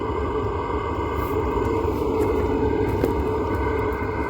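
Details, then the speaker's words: Velit 4000P gasoline heater in a 2023 Ford Transit camper van, on temporary power, running at full output a few feet away: even roar with steady hum and light whir, no surging or popping; normal operation. "so again just few feet away kind of sounds like what an RV furnace would sound like running like a normal propane one again the muffler does help"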